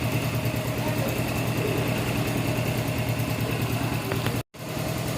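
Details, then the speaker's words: Honda Revo Fit FI single-cylinder after repair for hard starting: 50 oversize piston, valve clearance set to 0.10, weak battery dropping to about 11 V; even, steady smooth idle with no knocking or ticking. "halus suara mesin piston oversiz 50"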